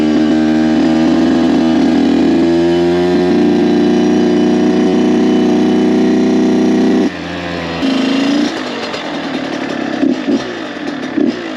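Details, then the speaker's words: Kawasaki KX 85 two-stroke dirt bike, freshly rebuilt, on its maiden ride, clicking into third: crisp, surprisingly quiet buzz holding steady through a gear change, then light even throttle blips, no odd vibrations or sounds; runs clean and healthy. "I'm actually surprised how quiet this bike is."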